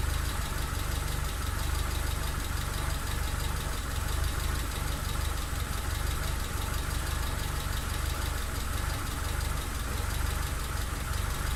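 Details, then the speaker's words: Mitsubishi Lancer EX turbo at idle: steady loud idle with an uneven, stumbling beat and constant shake, constant misfire; plugs, leads, coil, cap, rotor and MAF replaced, ECU swapped, sensors in spec, cause still unknown. "it's still still running terribly and constant misfire so oh I'll show you a clip of that running next"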